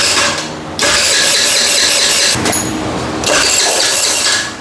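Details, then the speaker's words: Rebuilt GY6 49cc 139QMB scooter engine (blown bottom end) after timing reset: starter whirs in bursts, engine spins but won't fire; later starts when held cranking, owner suspects a leak. "It's trying, but it doesn't want to turn on."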